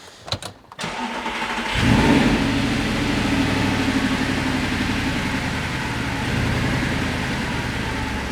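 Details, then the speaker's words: Gen 1 Audi R8 started after its fault codes were cleared: it cranks and catches, then idles unevenly with an irregular stumbling beat instead of a smooth hum; misfire at idle. "Right, just misfiring."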